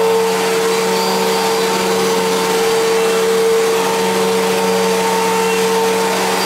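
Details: 1999 Fantom Fury vacuum cleaner at switch-on: a steady motor hum with a whistling tone and a faint grinding roughness underneath; it also sounds wrong winding down. The cause is unknown, and it was later parted out.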